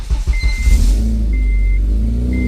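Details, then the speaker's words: 2006 Honda Civic Si K20Z3, fresh headers fitted during supercharger install, not yet boosted: engine revs with loud raspy puffing from underneath, a large exhaust leak at the header; adjusting helped slightly, may need welding. "Oh, we got a fat ass exhaust leak. Fat ass exhaust leak. Fat ass exhaust leak. It's all from underneath."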